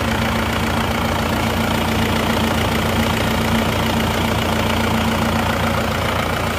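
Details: Isuzu Panther diesel after engine repair, restarted; steady even diesel clatter at idle, constant pitch, no misses or hunting, engine healthy.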